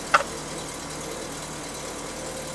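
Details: 1986 Toyota MR2 with eBay turbo conversion and rebuilt head, just started while wideband warms up, tuned with Tuner Studio autotune: steady, even idle hum, faint hiss, no knocks or misses, idling 900–1100 rpm. Normal idle.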